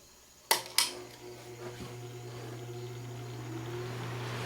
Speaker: So it has a fairly smooth startup.